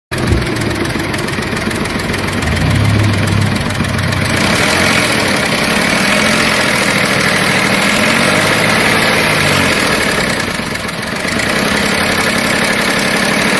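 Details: VW Polo 7 petrol engine at idle with an abnormal noise: an uneven, fast chatter of about three to four beats a second over the running engine; the cause is unclear.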